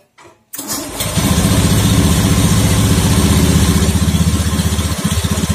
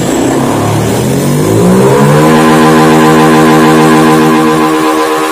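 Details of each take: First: Honda Beat FI scooter after cleaning the CKP sensor with compressed air (history showed CKP fault, found only dirty): catches quickly on starter, settles into smooth, even idle with steady low thrum; normal start and idle. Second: Honda Beat FI scooter, sluggish and down on power, just after fitting and setting a new TPS (throttle opening 0.507): engine pitch climbs, holds, then sags instead of settling; unstable idle speed.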